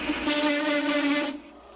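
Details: Lathe with VFD cutting EN8 steel, tool on compound slide and fabricated plate-steel toolpost riser: loud, steady ringing hum with shrill edge during the cut, stopping as the tool clears; chatter likely from VFD current limiting under high load, improved by adjusting settings.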